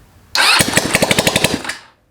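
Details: Honda Ruckus engine, first start in a long time with rewired start harness and vacuum fuel pump, no exhaust fitted: brief sputtering run of sharp crackly popcorn-like pops, about a dozen a second, from the bare exhaust port, then dies.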